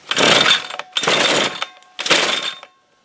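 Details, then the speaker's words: Toro weed trimmer received non-running, broken primer bulb and fuel lines replaced, carb cleaned, then a new carb and air filter fitted with no adjustments; primed four times, switch on run, choke on, three pull-start bursts with raspy rattle, never fires; hard starting. "so let's prime it let's go through four this is on run and oh see choke on nope still no"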